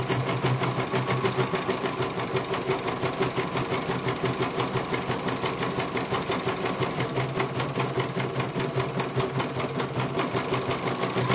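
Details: CNY computer embroidery machine in for service; at first its motor (dinamo) would not turn at all and the bobbin case was missing. Steady, fast needle rhythm with no knocks or dragging as it finishes one colour; normal stitching, judged very good.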